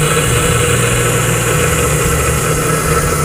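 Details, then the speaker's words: Sewing machine motor after replacing the faulty capacitor: starts first time with an even, unbroken constant-speed hum, no labouring or dropouts; normal healthy running. "aquí hacemos el cambio y tiene que arrancar la máquina a la primera entonces encendemos y ahí el motor está funcionando a la primera"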